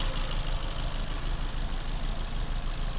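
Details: Ford Fiesta 1.25 Zetec SE at idle: lumpy, uneven idle with a heavy off-beat thump about three times a second; cylinder 1 misfire code, cylinder 1 reading only 20 psi compression.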